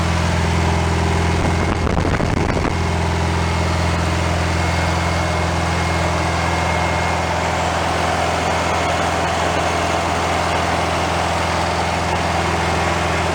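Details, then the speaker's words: 1965 VW Beetle rebuilt air-cooled flat-four, first run-in off the car after carburetor leak fix: steady even idle, smooth unbroken beat, no knocking or ticking; normal idle, owner says a couple of small things still need addressing. "well she's alive probably a couple there's a couple little things of course that uh need to be addressed but no big deal"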